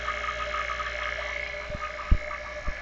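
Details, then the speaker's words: Vacuum pump evacuating a Honda Fit A/C system after the bleeder is closed: a steady motor drone and constant mid-pitch hum with a few dull thumps as it pulls the gauge down to about 28. Normal operation under load. "now it's sucking. See, it already sucked it down. Okay?"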